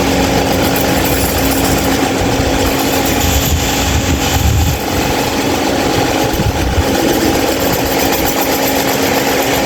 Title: loud noise 26" mahita stand fan